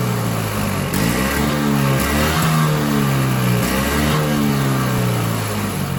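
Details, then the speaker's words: Toro Power Clear 21in snowblower, 141cc 4hp two-stroke, after full carb teardown. Speed hunts up and down about every second at steady throttle; constant surging; a new carburetor is suspected to be needed; piston scoring found on the exhaust side. "nothing the only thing I can think of is maybe a new carburetor it's just constantly surging surging surging surging"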